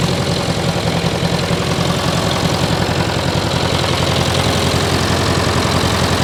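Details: 1968 John Deere 500A diesel loader tractor (industrial 3020), parked over 10 years, just started with ether: lumpy, uneven loping beat near 160 a minute; rough running, cause unknown, fuel in tank, diesel running down side of block.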